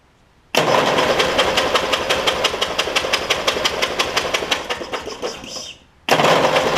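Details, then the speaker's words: Toro Wheel Horse 1232XL hauler, 12.5hp Briggs single-cylinder, before new Hipa carb: fast light even cranking whir with spark plug removed, no compression thumps, fuel spraying out to clear flooded cylinder. "we're going to crank it and gas is just going to come flying out here but y'all get ready oo that's some crazy stuff ain't"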